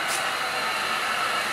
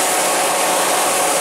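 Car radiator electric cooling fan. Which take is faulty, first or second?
first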